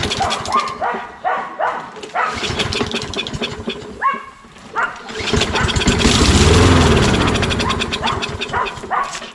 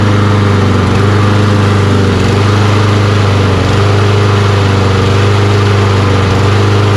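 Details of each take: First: Toro Recycler mower with Kohler XT675 engine: catches on starting fluid, runs a few seconds and dies; spark confirmed, fuel not reaching carburetor, carburetor cleaning likely needed. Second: Toro Recycler mower, Kohler XT675 engine, after carburetor cleaning and adding fuel injector cleaner to old fuel: runs steady and even with firm low thump, no surging or misfire; still hard starting.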